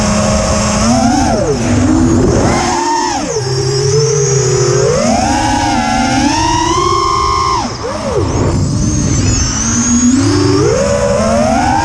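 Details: Quadcopter after swapping Littlebee 20A ESCs for TBS Bulletproof 25A on DShot600 and updating Betaflight 2.9 to 3.1.0-RC5, lowered PIDs: motor whine swooping with throttle with a rough, buzzy edge; strange sound persists despite demag and timing changes, cause unknown.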